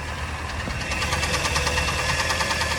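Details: 2013 Kia Sportage AWD Prestige, 120–125k km, knocking since about 100k km, cold and hot, recorded hot: heavy, regular metallic knock over the engine as it is revved and released; piston knock from scored cylinder walls.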